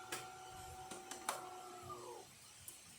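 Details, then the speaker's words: DeLonghi Eletta super-automatic after full service (water tank sensor and valve replaced): brew unit tamping motor hums steadily for about two seconds after grinding, then spins down smoothly; sounds healthy. "we're just going to let it uh grind and then it's going to move into tamping when you hear the motor move as you can"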